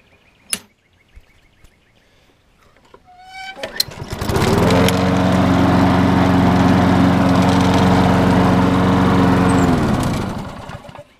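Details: Craftsman 6.75 lawn mower that wouldn't start after sitting all winter, fixed by clearing a clogged carburetor port or jet (suspected the bottom one): pulls over, catches quickly, steady even drone with no misses or surging, shuts down cleanly; runs healthy.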